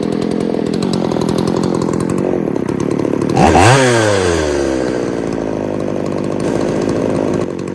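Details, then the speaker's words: Poulan 3800 two-stroke chainsaw after air leak at loose carburetor repaired and warmed up: burbling idle, then revs climb, sag and drag down on throttle; bog on acceleration. "all right I think we fixed the air Lake it's got that little bul in it I'm have to work on that other than that I think it's fine"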